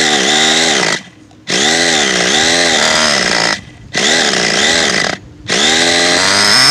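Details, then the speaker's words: Cold nitro RC two-stroke engine, windy weather, during tuning: high buzzing revs in bursts, pitch sagging and recovering between blips; low-speed needle too rich. "yeah we're only about one - he's too rich on the bottom I will tell you that so let's lean around a little bit"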